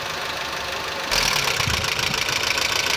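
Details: Honda Civic engine noise, bearings and axial play suspected: steady idle with light, fast, slightly uneven ticking about three per second over engine hum, possibly valvetrain; ticking at idle.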